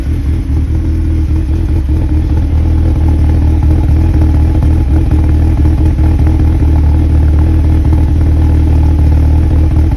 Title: 01 NB MX5 Cold start rough idle, idle droop was stalling at times while driving coming to a stop